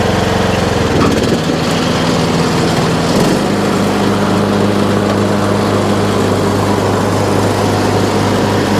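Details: Troy-Bilt Pony riding mower, revived from scrap after electrical and steering repairs, all 7 speeds and blade brakes working: engine revs then settles into a lower, steady idle with no hunting; idle is down great, running right.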